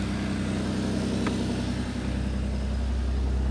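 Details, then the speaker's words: BMW E36 just after an oil and filter change, very cold on choke: even, steady low idle rumble with no ticking or clatter; the previous strange noises are gone, with no smoke, and the engine is healthy. "Là, elle est très froide. Starter, tout va bien. Et rien qu'à la vidange, j'ai plus de bruit étrange, de claquement ou quoi que ce soit."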